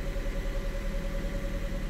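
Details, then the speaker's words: 2010 Ford Fiesta 1.6 petrol with intermittent erratic cold idle, cold start after throttle-sensor circuit adjustment (likely temporary repair): slightly raised idle, steady, no hunting or surging; TPS1/TPS2 and throttle readings steady, load a little high cold. "revving a bit higher but it's not surging we've got pretty steady tps1 tps2 and the actual etc's steady too"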